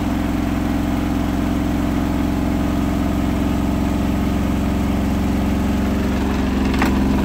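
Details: Hotpoint washing machine final spin at up to 1400rpm after a rolling bath sheet fooled the balancing and was thrown to one side: loud steady drum roar with rhythmic thump near four per second, badly unbalanced.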